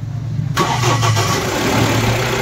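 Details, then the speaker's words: Mahindra Bolero Pickup BS6 diesel after fuel line and pump work and erasing DTCs P0088, P262B, P128, P1233, P1832 for a no-start: brief crank, catches at once and settles into steady even idle; normal start and idle. "अब देखिए गाड़ी का कितना अच्छा आवाज़ है और इसमें कोई समस्या नहीं है"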